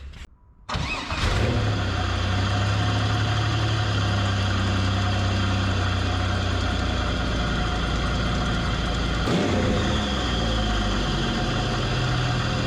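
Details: 1984 Pontiac Fiero with 3800 supercharged V6 swap, first start after oil change with 10W30: short crank, then steady even idle with no knocks or misses; built good oil pressure.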